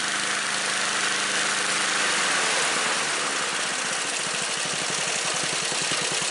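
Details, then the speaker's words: Snapper commercial mower small single-cylinder engine, cold start on choke with a new HIPA aftermarket carburetor, holding a steady, even idle with a quick regular beat, no stumbles or surging; runs smooth. "Got a really super smooth idle, and now I'm going to go from idle to wide open throttle, and mind you, the engine is cold."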